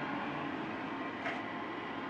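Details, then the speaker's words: Modified IQAir Compact air purifier with an inline centrifugal fan replacing the seized motor, blowing straight out the bottom, back in action: steady, even rush of air, no rattle, tick or wobble; smooth and healthy. "there you have it the modified iq error back in action"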